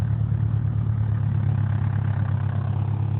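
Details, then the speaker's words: Proton Inspira (rebadged 2008-on Mitsubishi Lancer) 2.0, morning start at idle: low droning hum with rough booming vibration, quieter in reverse or drive; broken engine mounts, to be replaced. "It's just a very not so nice sound. Alright, so we'll go on to change the engine mounting."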